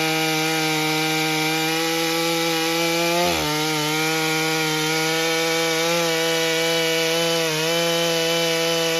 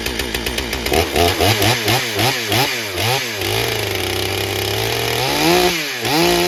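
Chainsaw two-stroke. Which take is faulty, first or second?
second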